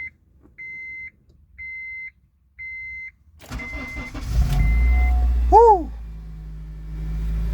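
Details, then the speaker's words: 2003 Honda CR-V that cranked but would not start or died, after replacing the fuel pump relay in the front passenger-side compartment: three evenly spaced chimes, a brief crank, then it catches cleanly and settles into a smooth, steady idle, a normal start. "so it's an uh it's an easy fix I thought it's gonna be a big problem but uh boom the car just started"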